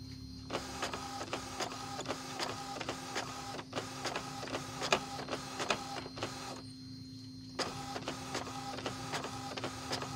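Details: Epson L565 printer after the fix for grinding noise and double-line printing: regular carriage passes about once a second with a steady motor hum and no grinding. The printer runs normally.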